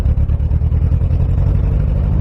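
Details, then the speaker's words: Toyota AE86, warm engine, while driving: the deep engine note pulses and stutters unevenly under throttle, breaking up instead of climbing smoothly. The owner suspects a bad ground or timing still off; not confirmed. "Oh yeah, she's definitely still breaking up. I don't know what is wrong. I think it is bad ground."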